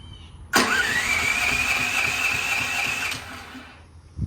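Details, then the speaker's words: Duromax XP13000HXT generator, first connection to natural gas, weak battery on charger: quick even cranking with rising starter whine about 2.5 seconds, faster than before, stops without firing; cranks, no start. "well it's kicking over a lot faster with that battery charger on it isn't"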